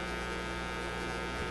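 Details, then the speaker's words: Canadian Motorola MK-56R AA5 five-tube radio just after replacing a bad tube, at power-up: steady low buzzy drone; mains hum attributed to a failed filter capacitor, with a very dirty volume control. "the sound of a hum not quite what you want to hear but now even with that hum we should be able to hear some radio some radio stuff"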